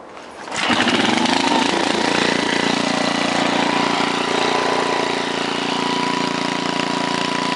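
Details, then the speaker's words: 1968 Briggs & Stratton 7hp 275cc horizontal engine, model 170402, all original, no load, set at 3/4 throttle (range 1600–3600 rpm); catches, climbs and holds a steady even drone, no surging or misses; full throttle may need tiny adjustment; normal running. "at full throttle it sounded like it still need a tiny adjustment but of course that's under no-load so obviously once you throw it onto something it'll run even perfect but it ran just about perfect"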